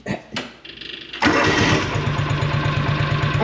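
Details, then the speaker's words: John Deere Gator 6X4 sitting since 2014, choke lever stuck: a couple of short cranks, catches straight away and settles into an even, steady idle; starts easily, healthy engine. "I just can't I can't I'm baffled on how easily and quickly this thing starts like that thing is sweet"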